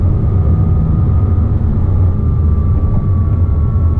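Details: 2007 Porsche Cayman S with 45,000 miles and a thin, steady high whine tied to rpm, most noticeable near 3000 rpm, also heard in neutral and gone with the clutch disengaged; a worn water pump bearing, and replacing the pump cured it.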